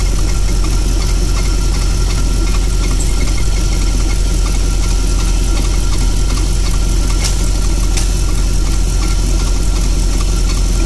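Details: Audi Coupe V8 warmed to just over 70°C, idling steadily with a fast, light tapping from near the lower passenger-side cylinder head; noise grew quieter over time; cause unknown.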